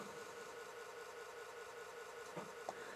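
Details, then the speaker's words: Atari ST floppy drive after cleaning disk run; steady whirr of spinning disk with soft evenly spaced ticks and a couple of head clicks: floppy drive operating normally. "sounds like the floppy drive is working completely normally which is great"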